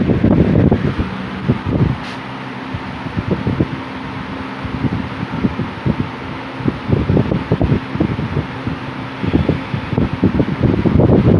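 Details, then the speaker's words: 1950s Worcester Wizard 6JC3020 20-inch box fan with sleeve bearings, before restoration, switched back to high: even whoosh with gusty air buffeting, no hum, vibration, rattle or grinding; healthy motor. "There's no humming or anything like that, so that's a good thing. Putting out a good breeze. There's no vibration to it."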